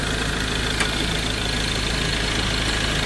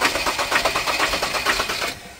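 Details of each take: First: Ford Ranger diesel after bleeding the fuel system, its injectors having been flooded with water and previously knocking: steady, even idle with a regular soft clatter and no misses or stumbles; engine now running normally. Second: Ford Ranger with knocking issue, won't start: rapid sharp clattering about eight beats a second while cranking, then dies without catching; mechanic blames damaged injectors, high-pressure pump tested strong.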